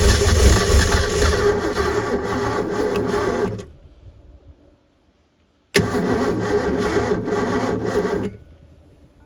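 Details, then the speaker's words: Supra TS6M ski boat engine, once sunk and sitting about four years, run on fuel poured into the carb bowls with a jump pack; fires and runs evenly for a few seconds, dies, catches again, little blow-by, pumping water, sounds healthy. "all right we know it runs sounds like it runs pretty good I only saw a little bit of Blow by and it's pumping water over here"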